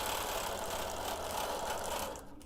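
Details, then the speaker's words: Sewing machine free-motion quilting with fast stitching chatter and a loose, tinny rattle from a dry bobbin needing a drop of oil. "camera can you guys hear that rattling I still forgot to check the bobin in all that hubub over where my lines are okay we are going to stop right here and give that bobin a little drink of oil so it stops [Music] rattling"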